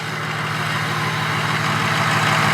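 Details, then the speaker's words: Inherited family Ford Powerstroke diesel truck idling. An even idle with a low drone and a gently rising jet-like hiss, same as remembered: normal turbo sound. "let it run for a little while just like i remembered same noise sounds like a jet yeah it sure does reminds me of our rds turbo it"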